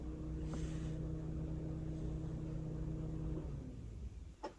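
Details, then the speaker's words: Radiator fan actuated from a bi-directional scan tool on a Honda Civic or Lexus: steady low electric hum holds about three seconds then cuts off cleanly; fan operates normally. "Let's test out the radiator fan. So let's see if we can hear this."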